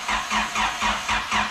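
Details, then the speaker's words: Turbo Honda Civic project with no intercooler. Slow, labouring crank that never catches: crank no start from a dead battery. "hold on we must be missing something did we unplug anything electrical hey no it's just too dead"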